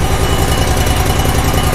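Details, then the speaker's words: Grasshopper zero-turn mower, freshly rebuilt Kohler CH25S twin with replaced head, first start on choke: steady, even low rumble, smooth firing beat, no stumble or misses while warming up; normal idle. "we'll let her warm up that fired right up that didn't even stumble"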